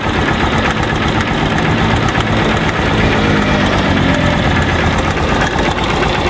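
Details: Motorcycle single-cylinder engine at cold idle: fast light ticking over the steady beat; ticks when cold and goes away when warm.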